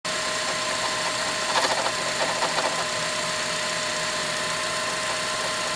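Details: 2006 Honda Element at idle: faint steady whine with a short rattly, knocking patch early on; owner suspects the timing chain tensioner, not confirmed.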